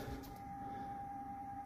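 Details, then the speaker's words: Flexit C2 ventilation unit in a cold attic, exhaust fan with worn bearings: steady clear whine over low running hum, heard through the unit; bearings to be replaced. "but you can hear a clear bearing noise from there through the combi unit, so let's go and see what can be done about it."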